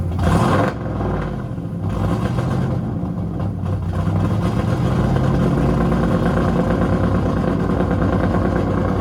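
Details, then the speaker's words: Freshly installed 410 LT1 (4" Callies Magnum crank, M&M-ported AFR 210 heads, mild hydraulic cam) in Pontiac Formula, warming up: loud, lumpy V8 burble with choppy low beat settling to steady rumble; normal running. "It sounds like what? This thing sounds like a pro stuff."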